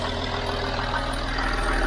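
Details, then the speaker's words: Land Rover Discovery 3 (LR3) 2.7L TDV6 Lion diesel after a complete engine rebuild, now with oil pressure at idle (almost four): a smooth, steady diesel rumble with no knocks or rattles. It sounds like new, though an engine fault message appears. "yeah it sounds like a new machine look at this oh my gosh listen how this engine sounds it sounds like a friend this is great work"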